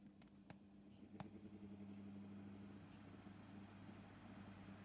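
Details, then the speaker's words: 1982 Micromark 12-inch desk fan running on low: steady hum with irregular scratchy rubbing and a few clicks over the drone; owner attributes it to bad bearings. "can hear the scratching noises."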